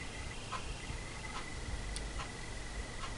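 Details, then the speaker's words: Homemade battery-powered PC fan, yellow tach wire unused, slow speed current-limited by resistor, capacitor added: thin steady high squeal persists, with faint tick a little over once a second. "вот так вот с конденсатором всё равно пищит"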